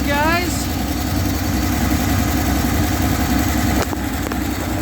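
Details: Six-cylinder truck, started once fuel was added to the carb: an even, steady idle rumble with no misses or knocks, idling cleanly on choke. Normal idle on choke.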